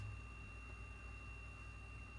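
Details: Haier 10.1 fridge in a camper that wasn't cooling and clicked, now running after cord reconnection with temperature control turned up: quiet, steady hum and faint whir from the freezer fan, no rattle; blowing cold air, running normally.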